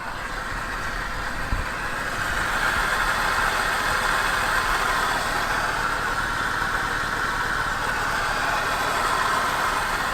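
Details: 2003 Porsche Cayenne Turbo, 4.5L twin-turbo V8, mic moved around engine bay, noise louder on one bank: idle with steady mechanical rumble and irregular chatter over it; points to a failing AC compressor.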